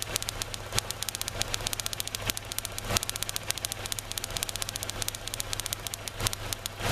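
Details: 2003 Kia Rio after crank-no-start, started by prolonged cranking, runs rough: sharp irregular snapping over rough idle, coil pack arcing between cylinder 2 and 3 towers and ground, lessening as engine warms; ignition coil arcing misfire.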